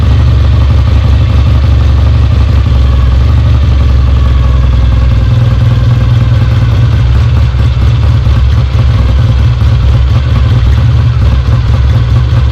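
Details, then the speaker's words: Rebuilt Kawasaki W1 on its first start, tank off, idle and fuel mixture not yet adjusted: deep, loud, fairly even twin beat holding steady. Engine runs and oil is flowing from the lines, showing the oil pump works. "definitely got oil coming out of here which is a good sign all right it runs"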